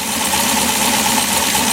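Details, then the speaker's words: V8 LS7 swap in an S10 with new idle air log intake, warm idle after cold start at about 50°F: steady even idle, whistle noise gone, idle air control now controlling idle; normal warm idle. "alright as you can hear the whistle noise is gone the idle air control is controlling the idle now"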